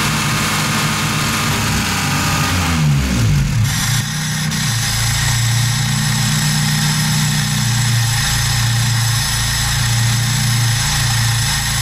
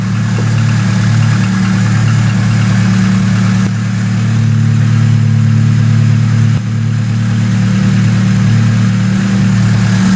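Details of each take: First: VAZ 2107 carbureted engine at idle after reviving a stall-and-no-start: hiss that cuts in and out as the faulty electronic unit gives wrong commands to the electro-pneumatic idle economizer valve. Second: VAZ 2107 carbureted engine that stalled while driving and would not restart, after revival and adjustment (condenser, rotor, carburetor, ignition), choke pulled: steady even low idle with smooth beat, no stumbles or hunting; normal idle.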